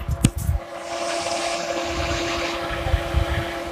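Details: Mahindra Bolero condenser fan switched on with the AC button: after a switch click, a steady low hum and airy rush hold even, with no rubbing or ticking; the condenser fan is running normally.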